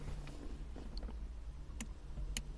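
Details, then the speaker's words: Mk1 Audi TT Cabriolet wind deflector, operated with roof down: two faint relay clicks from relay 604 under the dash, no deflector motor whir after; switch and relay working but motor does not run, cause unconfirmed. "oh I can hear the relay clicking okay yeah it's it's under here it's relay 604 underneath the dash but I can definitely hear it clicking"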